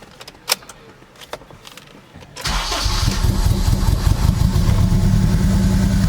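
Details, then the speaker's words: Acura RSX with a Sirimoto flex-fuel kit, new injectors and a new map; a few ticks, then a lumpy, uneven beat at about 2.5 per second, with the air-fuel reading super lean. Only one injector works, so it runs on one cylinder. "as you can see here only one of them is working so um that's my problem that's also why the car was running so bad just because it was only running on one cylinder i was barely running at all"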